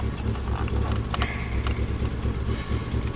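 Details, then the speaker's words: Old Subaru Outback running very rough with a lumpy, stumbling beat, nasty-smelling exhaust and stalling when gas pedal pressed; caused by intermittently failing fuel pump. "Running real rough. The exhaust smells really nasty. So, this is uh this is what it sounds like when your um when your f fuel pump is developing problems."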